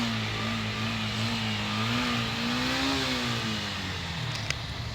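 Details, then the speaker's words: Yamaha FZ motorcycle, stored about six months, after carburetor cleaning for missing and starting problems: clean, even engine note swells smoothly with a light rev and eases back without stumbling. Normal revving after repair. "ഒന്ന് start ആക്കി വെക്കുമ്പോൾ കണ്ടില്ലേ സംഭവം NEET ആയിരിക്കുന്നു"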